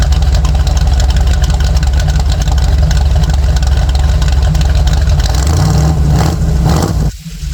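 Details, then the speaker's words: Jeep with rowdy but streetable Comp Cams cam and EFI: deep, choppy idle with uneven lumpy beat, steady and strong throughout; healthy engine, normal lopey idle. "The plan was to have a rowdy sounding cam in it, something that was, you know, sounded really good, had some good power, but also was still streetable."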